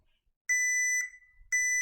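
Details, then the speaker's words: HP PS-4241-9HA power supply repair on a series-lamp test box; meter gives a clean steady high beep twice on touch, dead-short continuity: the 6R199P MOSFET and a diode are both shorted, IC found good. "yeah so we have this diode and this mosfit they are both shorted"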